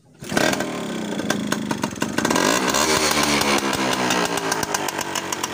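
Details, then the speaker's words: Classic two-stroke Sigma motorcycle starts on the first kick. It settles into a ragged, clattery idle with loose metallic rattling over the exhaust, because parts have not yet been tightened. "Ternyata bisa nyala guys. Ini bunyinya agak tidak beres ya, karena ini belum ini guys, belum sempat dikencengin ya."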